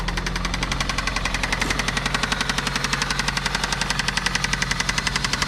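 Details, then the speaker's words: 2004 Toyota Celica GT, 185,000 miles, idling after refilling from extremely low oil: steady sharp metallic knock with lighter valvetrain tapping. Rod knock from oil starvation; engine likely ruined. "not good that's pretty much exactly how I expected it to sound maybe a little more of a rod knock and a little less valve train noise but she's definitely a tapping"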